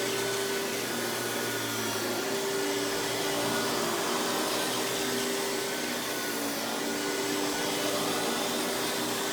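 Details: Hoover PowerMax Supreme 850 S3609 1990s canister vacuum, non-original hose, high speed with power brush running: steady high motor whir, constant tone, even airflow rush, no rattle or belt slap; runs very smooth though not the quietest; normal running.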